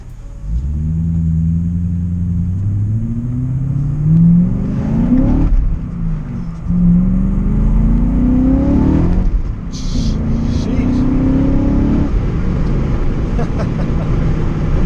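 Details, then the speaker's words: BMW M5 E39 V8 after timing chain guide repair, new camshaft sensors and cleaned VANOS unit: smooth pulls at about 40–50% throttle, first time above 1500 rpm in weeks, no rattle above low revs; healthy. "I was just putting down 40% throttle I don't even know if I touched touch 50% so you can really see this car is just a lot more perky"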